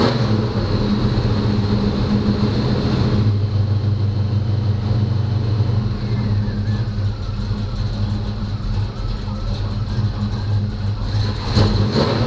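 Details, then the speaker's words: 1985 Chevy C10 short-bed V8 bought non-running, first start after starter install and an added quart of oil: deep, steady rumble with an even beat and no knocks or rattles; normal idle. "it sounds awesome guys"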